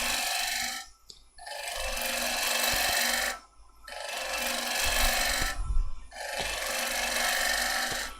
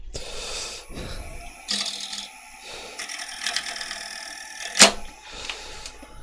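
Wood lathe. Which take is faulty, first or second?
second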